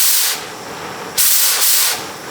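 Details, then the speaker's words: Oxy-acetylene cutting torch with the cutting oxygen lever held down: steady, bright roaring hiss swelling as oxygen opens; flame even and settled, correctly adjusted and ready to cut. "Right, there's where we want to be. We're going to hold the cutting lever down and make adjustments."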